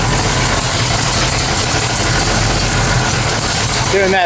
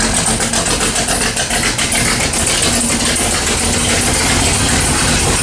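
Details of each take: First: 1979 AMC AMX, AMC 304 V8, headers freshly wrapped: loud steady idle, even exhaust beat, no header ticking, 70 psi oil pressure; header leak fixed, healthy idle. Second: Sharp, quick ticking steady over a lumpy V8 idle, keeping pace with the engine: a header gasket exhaust leak on long-tube headers, on either the 1979 AMC AMX 304 or the 1970 Pontiac LeMans 455; fix is to pull the headers, wrap them and fit new gaskets.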